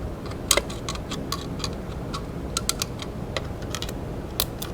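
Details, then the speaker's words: 1973 Honda CB350 Four revival, ignition tested with a grounded spark plug after reconnecting a missing black wire to the points: sharp, crisp irregular snaps each time the points are flicked; strong spark, normal ignition. "yeah you can hear it you can see it too good thing is we we sourced it it was the black wire now we've got power to here"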